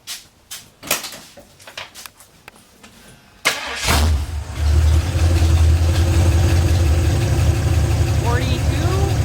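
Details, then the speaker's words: 1982 Ford F-350 with 302 V8, turbo not yet fitted, after new motor mounts; fires after clicks and cranking, holds a deep, even idle with no knocks or misses: normal idle, sounds healthy. "42 [Music] almost yeah engine sounds really good so yeah now it just needs boost"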